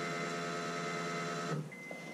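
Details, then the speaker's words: Newly installed Walbro fuel pump in a turbo Honda Accord, wired through a relay with thicker wiring, keyed on to prime: a steady, buzzy electric whine for about 1.5 seconds that cuts off cleanly, louder than the factory pump. Normal priming. "if you guys will listen for it oh that's definitely much louder than the factory pump let me do it one more time"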